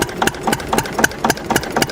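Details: Antique diesel with roughly 400 lb flywheels, running after a cold start and warm-up: slow, even chuffing beats about four a second, no knocks or misses. Healthy running.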